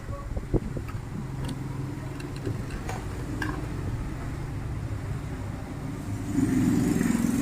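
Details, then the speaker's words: Euro Samurai 150i that misfired after hitting a pothole, which bent and broke the spark plug against the chassis. With the plug replaced by a Bosch plug, the single cylinder idles with a steady, even putter and a smooth blip; normal running. "Okay na ang motor ni sir. Pinalitan lang natin ng spark plug na bos yung original."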